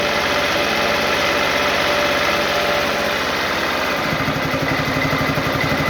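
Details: Honda CRF250L idling with a regular tapping knock, roughly four per second, over the engine note; engine knock of unclear cause.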